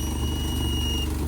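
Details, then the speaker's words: Infiniti G35 coupe, VQ35DE, after valve cover replacement, at idle: thin steady high-pitched whine over a smooth idle, seeming to come from the back; owner suspects the throttle body area, cause not found; an exhaust leak is also noted. "But last night we could not figure out the issue with the throttle body and why it's making a whining."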